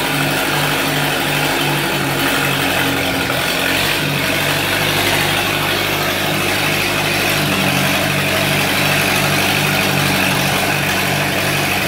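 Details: 1948 Lincoln SA-200 welder engine, sat for years unfuelled, carburetor refitted on temporary fuel, holds a steady even beat at settled speed with no knocks or misses; revived with very little work, running healthy.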